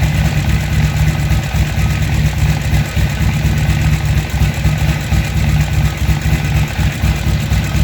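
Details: Harley-Davidson XR1200 after replacing throttle position sensor, intake seals and O-rings: deep steady V-twin lope with clean throttle blips; idle holds smooth and settles properly, problem fixed.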